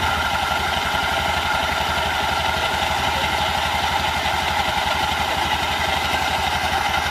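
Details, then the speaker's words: Honda Beat LED scooter with rough CVT, tested after reassembly: coarse, uneven rattling drone from the belt drive at about two pulses a second at idle. "suaranya kasar seperti ini kita kasih Sabun Colek"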